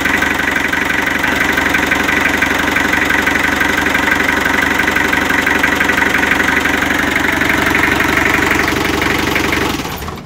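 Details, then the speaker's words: Mitsubishi L300 diesel at steady idle with a rhythmic puffing chuff about three a second, louder and smoking white at the dipstick when the filler cap is opened: heavy crankcase blow-by, possibly from piston rings, piston, liner, accident damage or wear. "Ya, kenapa saat tutupnya ditutup dan tutupnya dibuka beda suaranya? Nah, beda enggak? Lebih kencang."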